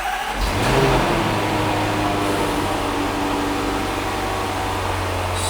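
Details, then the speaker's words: Range Rover L405 with rebuilt 5.0L supercharged V8, first start after fresh oil and filter service: quick crank, clean catch, brief flare, then a smooth, even idle with no knocks or ticks; normal start and idle. "Super nice. Super nice. And that sound is amazing."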